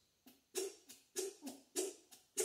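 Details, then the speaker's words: Low-pressure mechanical fuel pump off the engine, lever worked by hand: short squeaks with hiss of air from the fitting about every half second; squeak is an internal check valve, normal. "The sound you're hearing is air coming out of the fitting when I pump it. And that kind of squeaky sound is the check valve that's inside there, or one of the check valves."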